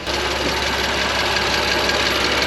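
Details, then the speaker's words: BMW M2 Competition first start after new transmission, dry engine getting oil: fast light ticking over smooth idle, even with engine speed, definitely in the head; could be a cam journal or lifter, unconfirmed; quieting as it runs, valve cover to be removed. "definitely in the head whatever it is could be a cam journal could just be a lifter really hard to say"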